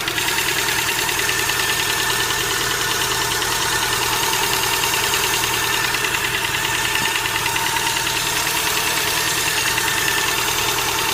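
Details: Hydraulic lifters knocking (стук гидрокомпенсаторов): light, quick ticking about three times a second over a steady idle, like a lifter clattering in the top end.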